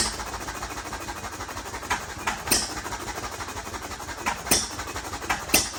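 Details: First start of a Novo 3.5 or 4 hp hit-and-miss engine, 20-inch flywheel, revived from water-seized crankcase with cleanup and light cylinder hone, buzz-coil ignition; irregular sharp bangs about once a second with chuffing coast: running on its own.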